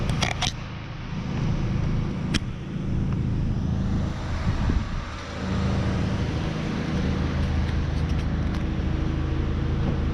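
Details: 1994 Honda Accord, 256,000 miles, started after repair with valve reinstalled, fixing surging high idle that followed throttle body cleaning: steady, even low hum with no hunting or surging. Normal healthy idle.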